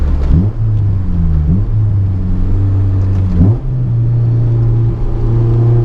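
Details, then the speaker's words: Honda S2000 AP1 after an engine refresh and valve job, driven with a GoPro onboard: the engine revs cleanly toward 9,000 rpm into VTEC with a steady, even tone and no knocks or misses. Normal high-rpm revving. "To that, man, so smooth, so good, just pure VTEC. What a sound."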